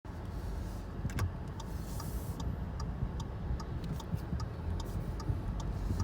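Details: Audi A3 8V 1.4 TFSI while driving: sharp irregular clicks and creaks, about two to three a second, over low road rumble; front suspension creaking noise.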